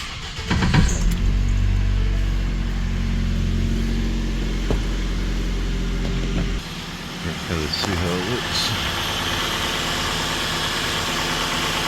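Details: 2011 Ford Escape 2.5L first start-up after oil pan replacement and oil refill: engine catches and settles into a smooth, even idle with steady low hum, no knocks or ticks; normal idle.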